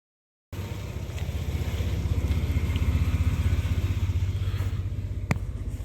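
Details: 2004 Ford Explorer after the alternator was replaced with a Ford/Motorcraft reman unit, curing overcharging and now charging at 14.5 V: steady, even low idle with a smooth regular pulse and no knocks, ticks or whine; normal idle.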